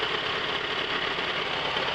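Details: 1997 Toyota RAV4, warm, rough uneven idle as if one cylinder is dead. Pulling the #2 plug wire barely changes the idle, #1 or #4 stalls it, and #3 is unclear; #2 is suspected not firing.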